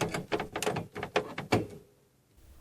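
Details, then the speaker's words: 1991 Miracle Piano keyboard, powered off: keys clack and creak loudly when played, due to an all-plastic key mechanism without metal frame. "Und weil dieses Ding komplett Plastik ist, knarrt es beim spielen."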